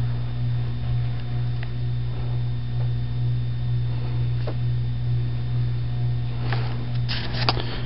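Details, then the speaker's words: Red Air Cool 52-inch ceiling fan, five blades, dated July 1987, with a newly replaced capacitor, on medium speed: steady low motor hum over the fan whir, otherwise running smoothly. "I just put a new capacitor in it so it shouldn't hum as much, kind of suppress the hum. Okay, medium. Little bit of a hum."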